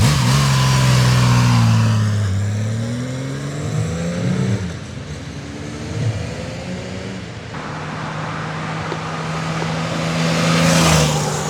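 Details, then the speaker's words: 99-mile 1981 Honda CBX1100, carbs professionally serviced and tuned, on a riding demo: smooth multi-cylinder pulling up through the revs and easing off cleanly; mechanically perfect. "this thing is absolutely mechanically 100% perfect very very smooth comfortable machine"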